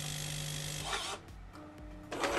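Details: Jura E80 espresso machine during repair, system filled and preparing for coffee test: even motor drone about a second stopping cleanly, then clicks and short whirr; brewer unit cycling freely and normally.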